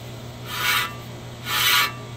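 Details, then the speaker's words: 2008 Nissan Xterra rear-wheel-drive, front wheel spun by hand on jack stand after front brakes and rotors were replaced: repeating metallic scrape once per turn; bent dust shield rubbing the rotor. "It's these dust shields are very easy to bend, so it doesn't always work out this way, but this is a very, very easy fix, and I've seen this several times."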